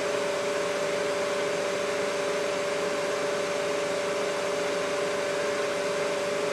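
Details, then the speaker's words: Mikini 1610L with its BLDC motor replaced by an inverter-duty AC motor on a Hitachi VFD, at full speed 120 Hz (roughly 5200–5500 rpm). Steady loud rushing air with two even tones, no knocks or rubs; normal motor cooling fan noise. "so all that noise is just the fan on the top of the top of the AC [Music] motor"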